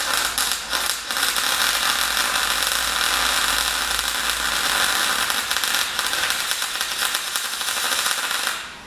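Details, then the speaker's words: MyMag Mate 150 inverter MIG welder at under half current on a Dyna tow truck project: even continuous crackling hiss, no breaks or pops; steady, well-set welding arc. "As you can hear from that straight away, it's beautiful and consistent. The wide speed self-adjustment is just great."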